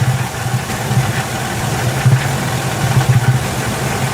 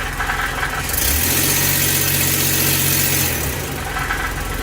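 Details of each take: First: Ford E150 V8 with P0340 cam sensor code, power-braked under load: deep, irregular bass-like chugging as cylinders drop out, a misfire, while the cam sensor waveform stays a perfect square wave. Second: Ford E-150 V8 after fix for P0340 cam position sensor code, doghouse off: in gear, power-braked under load, engine pulls up then settles steady with no stumble, no cut-out and no cam sensor dropout or error.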